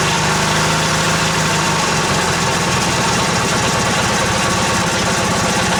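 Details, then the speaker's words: Old Yardman tractor with 4-speed rear end, owner thinks 1979, first start after sitting 4–5 months over winter, choke out; fired right up, steady even idle with smooth regular beat, no misses or knocks, healthy. "Fired right up. Idle's nice."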